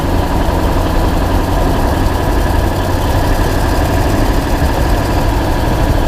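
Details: 2000 Ford F-250 7.3 diesel, GoPro spring-mounted while driving: deep diesel rumble with a fast, steady ticking woven through; small exhaust leak tick suspected, not confirmed.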